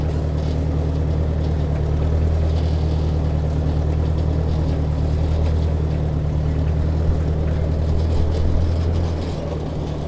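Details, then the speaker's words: Ford Workmaster 641 tractor climbing a hill in second gear after a tune-up (carb rebuilt, timing, points, condenser, plugs): petrol engine purrs at an even pitch under load, no surging. "We'll give it a try in second gear. Already can tell way better. No surging climbing. Just a nice steady purr."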